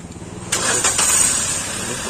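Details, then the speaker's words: Maruti new WagonR petrol with P0302 cylinder 2 misfire and engine light; after replacing the faulty cylinder 2 ignition coil, the engine cranks briefly, catches cleanly and settles into a smooth, even idle. "बिलकुल smooth हो गया"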